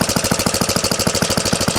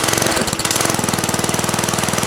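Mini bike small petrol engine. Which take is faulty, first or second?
second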